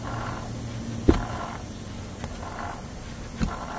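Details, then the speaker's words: Front-engine grinding traced with the drive belt removed: tensioner, compressor and alternator pulleys are quiet, but the hand-turned water pump pulley gives dry, gritty rumbling bursts. The water pump bearing has failed, though there is no leak. "So ibig sabihin, water pump yung umiingay. So yung bearing niya, although wala siyang leak, pero yung bearing niya is bumigay na mga katropa."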